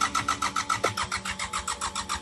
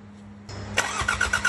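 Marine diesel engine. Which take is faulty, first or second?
first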